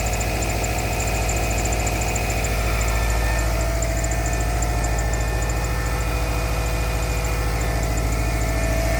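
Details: Subaru EJ25 cold start at -16 engine temperature in the early morning: a steady, even knock of about three to four beats per second rides over the idle; source not yet found.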